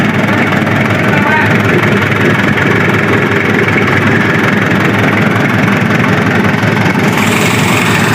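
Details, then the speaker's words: Daihatsu Taft GT diesel after piston rings and all eight valves replaced, warmed up: steady, even idle clatter with no stumble; previous rough start-up misfire and smoke gone, runs normal. "Berhasil kawan, alhamdulillah normal kawan."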